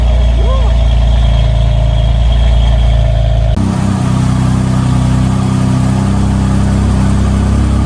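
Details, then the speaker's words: BMW M4 S55 cold start after replacing the tappet cover to cure a PCV whistle: strong, even high idle settling to a steady low rumble with no whistle or hiss. Normal cold start; a drivetrain error appeared moments later. "car actually sounded fine on cold start"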